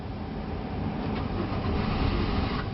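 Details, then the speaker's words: 2004 Chevrolet Venture LT van, automatic, about 136,333 km: the engine fires right up and settles into a quiet, even run with no stumble or miss. A normal start. "fires right up full leather up steering wheel runs great"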